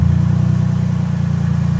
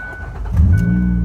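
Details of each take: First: Van with a dead battery jump-started with a Schumacher 1500 amp lithium jump starter: deep, throbbing idle with an uneven pulsing beat, running but not well. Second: Van with a dead battery started using a 1500 A Schumacher lithium jump starter: door chime pings, brief crank, then engine catches at once into a steady idle; starts cleanly.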